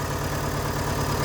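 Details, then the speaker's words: VW Gol idling: a shaking, lumpy, stumbling thrum. Oil light flashes when warm. Owner suspects a clogged oil pickup strainer starving camshaft lubrication and plans to strip the oil pump and use proper oil. Rough idle. "E então, olha, tá tremendo bastante, olha. Bastante mesmo."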